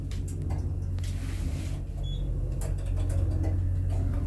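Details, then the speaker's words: Hydraulic elevator left unmaintained five years, very low on oil, Y-delta starter: sharp irregular relay clicks about three a second over a steady low motor hum in the starter controller; cause not found. "There's clicking noises from relays."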